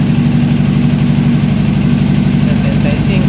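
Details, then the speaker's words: A Honda CBR 600 idles with a lumpy, stumbling beat, one cylinder reading about 45–50° against about 80° on the others; a misfire from a failing ignition coil. "la vamos a arrancar a ver si me escuchan se escucha cómo está fallando"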